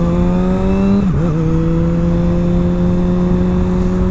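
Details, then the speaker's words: Kawasaki 636 ridden as reference against a 2021 ZX-10R, audio through rider's helmet; smooth high-revving inline-four tone climbing, dipping at a gear change, then holding evenly, normal engine under acceleration. "this seems pretty normal to me it's pretty smooth the motor sounds very consistent"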